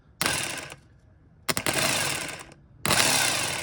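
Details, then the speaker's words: 1980 Chevy K30 squarebody SBC 350 during new relocated starter solenoid install: three short whirring spin-ups winding down freely with no throw-out clunk; starter pinion not engaging, later needs power to that terminal to engage. "It's not throwing. It didn't throw. At all."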